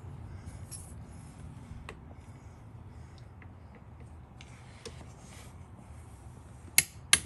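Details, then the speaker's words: 2016 Segway X2 coupling replacement: quiet wrench handling, then a sharp double click as the torque wrench breaks over at its 29.5 lb setting on the coupling bolts. "push it down and when you hear the clicking noise that means it's 29.5 pounds"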